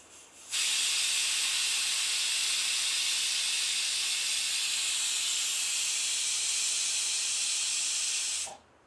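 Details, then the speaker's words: Pressure cooker boiling lentils, loud steady clean steam whistle about eight seconds with no sputter or water spilling out, after applying the anti-leak trick. "ನೀವೇ ನೋಡ್ತಿರಬಹುದು ಒಂದು ಚೂರು ನೀರು ಆಚೆ ಬಂದಿಲ್ಲ ಈಗ ಇನ್ನೊಂದು ವಿಸಲ್ ಬರ್ತಿದೆ"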